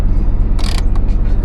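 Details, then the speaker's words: Old Chevy Blazer 2-door with Vortec, 276,000 miles, service engine soon light on: low even idle rumble holding steady after start, runs healthy. "She fires right up, man."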